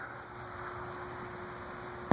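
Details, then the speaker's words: Wing TAT 36-inch vintage ceiling fan on a KB Electronics solid-state speed control, capacitor upped from 2.5 to 4, at its lowest speed: a faint steady mid-pitched motor hum with one small click, audible but not loud. "You can hear it humming a little bit. It's not silent. It's not horribly loud either."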